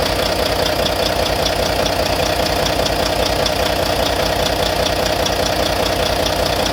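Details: Volvo VNL D13 diesel idling after injector replacement; regular light tap about two and a half per second over steady idle; owner suspects lifter noise, cause unconfirmed.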